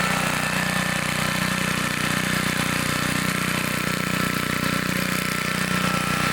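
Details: 1960s Bolens Lawn Keeper 28-inch riding mower, single-cylinder engine, deck raised: steady, even beat while cutting, no misses or surging; healthy loaded run.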